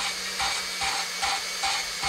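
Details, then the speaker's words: Honda CB350 engine that sat outdoors 16 years, lapping a valve with a drill spinning tubing pushed onto the valve stem. Hissy scraping pulses about every half second over the drill whir as the grit cuts valve and seat together; normal lapping sound. "what that's doing is it's grinding that seat and they're they're blending together the the the valve itself and the seat"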